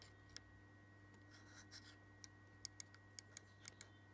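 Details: Ferrari F355 Spider, left-side roof latch sensor pressed with a screwdriver: a dozen or so sharp, irregular clicks in a quiet background. The sensor works normally; it controls the windows dropping, so check it first if they don't.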